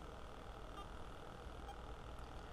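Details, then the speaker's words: DIY battery-powered Bluetooth audio player on a lab power supply, no music playing: low, steady buzz from the amplifier caused by a ground loop. "so I'm sure you can hear that um that buzzing in the background that's from the ground Loop"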